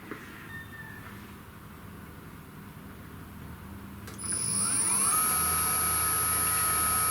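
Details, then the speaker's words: CNC spindle motor driven by a newly programmed VFD, test run at minimum setting of 5000 RPM; very quiet, smooth steady high whine with no rattle or roughness; normal low-speed running. "so that's the minimum setting of 5000 RPM. It's very quiet."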